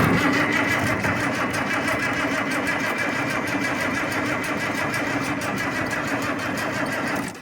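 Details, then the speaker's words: IH 1468 tractor without its V8, first start attempt: a sluggish, labouring crank at about three turns a second with no firing. It is cranking poorly before the fuel is primed further and starting fluid is used. "Okay. Not cranking the greatest. Let me pump this a few times."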